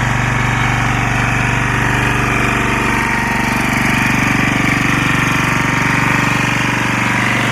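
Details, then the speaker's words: Lombardini 6LD260 air-cooled diesel on a traffic sign, just cold-started after 10 years unused on fresh fuel, alternator charging battery; even steady knock about four beats a second, tone changing slightly as the sign lights flash; normal diesel idle. "you can hear the engine [Music] tone change a little bit as the light flashes"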